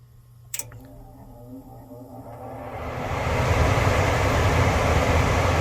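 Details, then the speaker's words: HVAC furnace after blower wheel replacement for a screeching noise: blower spins up after a delayed start into a smooth steady whoosh, no scraping or rubbing; runs clean and quiet. "isn't that beautiful that is beautiful no horrible scraping sound"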